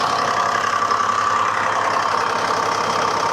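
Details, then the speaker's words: Telehandler swapped to a Detroit 3-53 two-stroke diesel, after fixing moisture-contaminated fuel: steady, even idle with a fast, consistent beat and no misses or knocks, shuts off normally; normal idle. "That's what we were looking for. I'm going to tighten that water pump belt. Oh, yeah. And it shuts off normal, boys."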